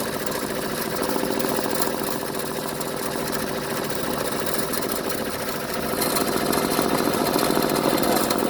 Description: Machine has grinding sounds while operating